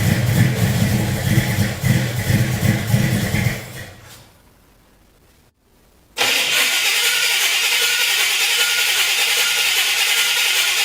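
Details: '71 Chevy C10 that sat in a yard 10–15+ years, start attempt cranked from the cab: engine cranks and runs rough, cuts to near silence, then catches into a loud steady run; fuel pouring from the carb caused a fire.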